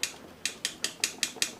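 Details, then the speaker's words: Motorcycle engine with custom camshaft, valve clearance set to 0.15 mm, rocker worked by hand: seven light crisp metallic taps about five per second; correct clearance. "Nah, ini setelan 0,15 ya. Untuk suaranya seperti ini ya."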